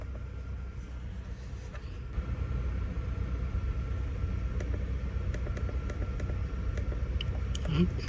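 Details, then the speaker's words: 2009 Acura TSX with flashing check engine light, idling: uneven, lumpy beat with occasional stumbles; misfire code P0302, mostly cylinder 2, diagnosed through plug inspection and coil swap. "get a cylinder to misfire I haven't started it up yet let's see if it actually is misfiring [Music] feels a little stumbly and check the data"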